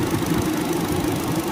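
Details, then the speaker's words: Car after radiator fan motor replacement: steady, even whir over a quiet idle with no wobble, rattle or pulsing; the new fan motor runs smoothly, unlike the previous severely vibrating one. "nah bosku terlihat ya ini sudah diganti dan hasilnya sudah nggak goyang lagi nih sangat halus getarannya"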